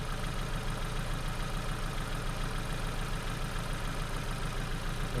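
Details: Ford Focus with a crank/no-start complaint, running on faulty customer-supplied spark plugs: low rumbling idle with an uneven, stumbling beat; misfiring.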